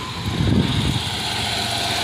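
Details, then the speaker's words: 1993 Chevy Lumina restarted after sitting about two days, which had caused an idle issue: steady, even idle with a constant low drone and no obvious stumbles; running normally, though it has always had a very minor occasional misfire. "up again let's see let me hop out right now it sounds like it's running normal"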